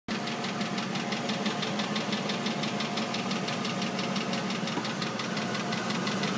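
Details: Oldsmobile Aurora: sharp, even clicking about three times a second over a quiet idle, from the engine bay and under the car, started suddenly and changes with engine RPM; rotational clicking, source not yet found.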